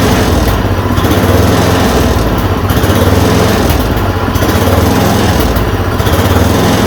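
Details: Yard Machine 826 snowblower (8 hp, 26 in cut), just fitted with a dual belt: a steady, fairly even single-cylinder buzz with only a slight periodic sway after the idle screw was adjusted. It runs normally.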